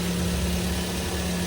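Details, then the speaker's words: Twin Z engine after overhaul for heavy oil burning (loose pistons, oil-fouled plugs), broken in: smooth, steady low hum with no ticking, knocking or misses; idles quietly and evenly, healthy. "Ayos. Tahimik na. Ganda na boss."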